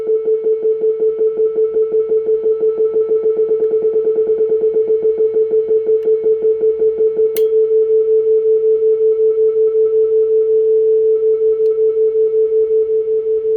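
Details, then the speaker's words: Client's 1965 Ampeg vacuum tube guitar amp after repair (new power-supply capacitors, bridge rectifier, tremolo and reverb units): steady clean 400 Hz/1 kHz test tone into the speaker enclosure, held loud, pulsing evenly about three times a second from the tremolo, no hum, buzz or crackle; normal output. "So the basics seem like they're working. Can drive it fairly loudly here. Well, there you can really hear it."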